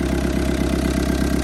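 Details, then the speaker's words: Old Kubota M7500 tractor with a newly rebuilt injection pump, after priming with ether, now running on its own fuel with one injector not yet tight and leaking fuel: a steady, even diesel idle with a regular low pulse and no misses. "Hit it again. There you go. She's running on her own now."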